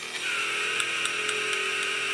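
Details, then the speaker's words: Cheap $2 remote-control CAT excavator toy, scoop motor: a steady high-pitched whine with regular clicks about four per second as the motor keeps driving past end of travel, because it has no end/stop switch. "There is no end switch. When you keep pressing it, the motor keeps running even after it reached the end of the travel."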